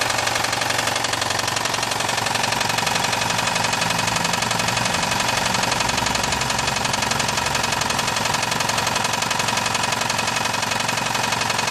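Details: VAZ 2109/2115 engine at idle: steady, sharp metallic knock at nearly four per second, evenly spaced, over the idle; connecting rod knock.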